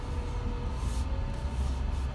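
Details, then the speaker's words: Chrysler Pacifica plug-in hybrid driving with its battery at 0%: the engine runs the generator to charge the battery, making a faint steady whine that slowly rises in pitch over road rumble. This is normal. "sure if you can hear it or not it sounds like it's whining that is normal operating condition for this vehicle it is actually charging the battery as we speak"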